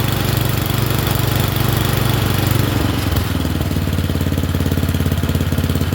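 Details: Murray Select 30-inch single-blade riding mower with a fresh air filter replacing the suspected plugged one: a steady, slightly lumpy but even single-cylinder idle. It runs acceptably and is burning junk off.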